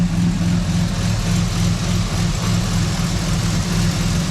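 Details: Turbocharged 3800 L67 Camaro with a new PTFE line, idling a while: low, steady idle rumble with even beat, no ticking or exhaust puffing; normal idle.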